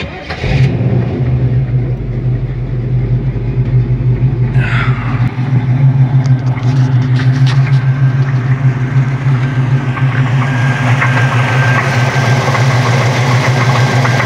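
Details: 1972 Chevelle V8 starts and settles into a rough idle with a dull, uneven knock of about three beats a second. Suspected rod knock, the engine seems to be giving out and is shut down.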